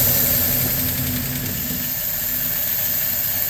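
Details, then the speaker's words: LaSalle engine warming up, choke almost open, at idle: smooth, quiet idle with faint light lifter tick, normal for its non-adjustable mechanical lifters; fuel pump bowl full, already slightly rough on throttle. "So there we are at idle, with the choke almost open. Not too bad. Pretty smooth running engine, pretty quiet. A little bit of a lifter noise."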